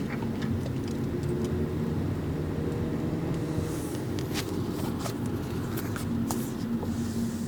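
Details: 2011 Mazda 3 2.0 sedan rolling slowly over speed bumps; road rumble with scattered sharp clicks and knocks, intermittent, service centre couldn't find the source; suspected suspension knock.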